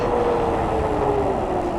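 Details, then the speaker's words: Cyrusher Kommoda fat-tire e-bike, 750W hub motor, 48V 14Ah, hydraulic brakes, stopping after downhill run at about 25–31 mph. Wind rush and faint motor tone fall steadily; complete stop with no squeal or grinding, brakes quiet. "complete stop no squeaks or squeals perfect on the brakes guys"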